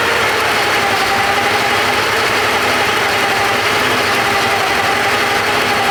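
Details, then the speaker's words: Porsche 928 V8 idling with all auxiliary belts removed: steady high whine over even idle, unchanged by belt removal; loose oil pump pulley rubbing the timing cover. "okay trying to track down this whining noise so I've stripped off all the belts run the engine no change"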